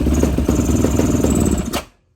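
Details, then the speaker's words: 2005 Yamaha YFZ450 Special Edition with an open airbox and missing air filter, started without choke; uneven single-cylinder idle that sputters and dies when throttle is blipped; very lean carburetor, runs better with choke, carb to be removed and rejetted. "just shuts off super lean it's better with the uh the choke pulled out"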